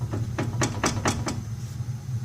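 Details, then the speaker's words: 2004 Ford Taurus, wheel rocked side to side: quick run of five sharp hollow clunks about a quarter-second apart; worn tie rod ends with excess play, both sides bad. "it's actually actually both sides are bad so like when I moved to one side you can hear the other side making a loud noise over there"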